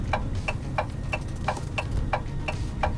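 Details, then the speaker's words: Iveco Daily Hi-Matic 8-speed automatic with the 3.0 F1C 210 hp diesel, heard in the cab while driving on the motorway: crisp, even indicator clicks at about three per second over a low cab drone; normal turn-signal relay ticking. "şuradan bir sinyal sesi geliyor tak tak tak tak inanamazsın"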